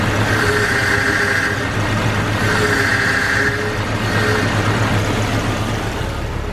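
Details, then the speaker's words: Jeep Cherokee XJ at idle, power steering pump fitted a month earlier: steady mid-pitched whine pulsing as wheels are turned slightly; no leak, low fluid or air found, so the pump is being replaced. "as you guys can see it's not even that I'm making full turns is just you know like this it tires not even moving it's just a little bit and it's making a lot of noise"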